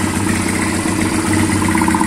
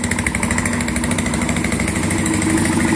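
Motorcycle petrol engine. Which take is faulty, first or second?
second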